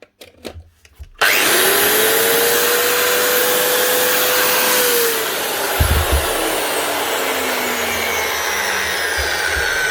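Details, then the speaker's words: Bosch 9-inch angle grinder after repair: the brushes had been fitted wrongly on top of their springs and the original lead was rewired; spins up to a clean, steady high whine, holds evenly and winds down smoothly; working again. "Bosch 9-inch grinder, up and running again. Rewired the original lead, forget about the big heavy new or second hand one I would tried to fix, and brushes fitted wrong."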